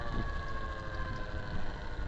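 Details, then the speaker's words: To7 DM02 e-bike motor while riding, through three gear changes: thin, steady high whine under quiet road noise, plus one clunk; cause unknown, owner suspects a controller/firmware byproduct rather than motor or bearing fault. "you know changed gears three times there and that little Winnie oh except for the clunk there little Winnie takes to hear what I call the thrumming sound and that's getting less so"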